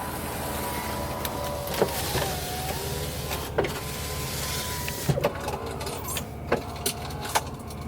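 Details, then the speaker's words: 1992 Mercedes-Benz 300E W124, rear power window motor whirs with a tone that sags and wavers under strain, with clicks and clunks; bad window regulators in the back. "bad regulator bad regulator so the back ones have a bad regulator"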